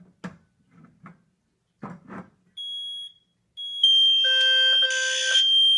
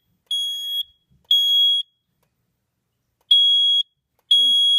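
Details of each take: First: Zone 3 smoke test on a Cosmo 2W detector with spray: soft knocks, then a steady shrill tone joined by several sounders; the detector's own buzzer is out of sync with the others and doesn't silence, even taped over. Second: Smoke-tested Cosmo 2W detector, zone 3: shrill half-second beeps about once a second with an uneven gap; its buzzer is out of sync with the system sounders and doesn't silence with them, still loud despite tape.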